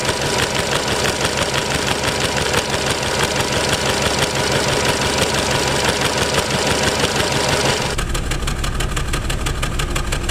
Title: Nissan Tiida misfire.